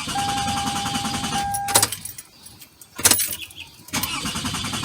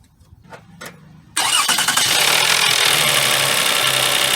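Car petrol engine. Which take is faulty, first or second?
first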